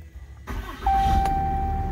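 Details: 2016 Ram 2500 6.7 Cummins diesel, first start after changing both fuel filters and priming with key cycles: brief crank, fires almost immediately and settles into a steady clatter-free idle; clean, healthy start.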